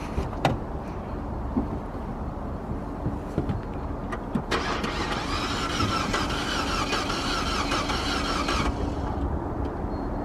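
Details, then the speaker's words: Non-running 2015 Fiat 500L on a cold day with a jump box attached; steady cranking that never catches; owner first thought it sounded like low compression, and the gauge showed empty while cranking despite a quarter tank. "first start it's cranking but it ain't starting uh so first assumption almost almost sounds like uh maybe low compression type of symptoms"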